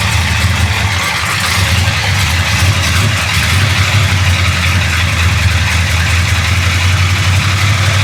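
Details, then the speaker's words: 1966 Chevy Impala with 427 big-block V8 idling after timing tweak, runs better than before but a light fast ticking valve chatter comes and goes, seemingly from one bank; valve train suspected, not confirmed. "Better than it was. Yeah, a lot better. You hear that chatter coming back? It comes and goes."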